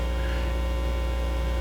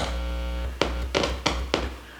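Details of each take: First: Heathkit AA-100 amplifier after rebuild with new can capacitors and bias board, first power-up: steady low mains hum in right and left channels, rising when the input is touched; cause not yet found. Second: let's go back one stage and see how that sounds okay I should hear a hum out of the right speaker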